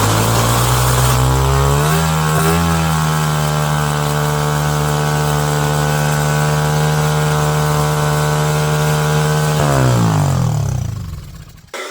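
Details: New small engine on a mini bike build, possibly still breaking in, first run: screams at a steady high speed for about eight seconds, never settling to idle, then dies. Carburetor wouldn't adjust down; high idle speed.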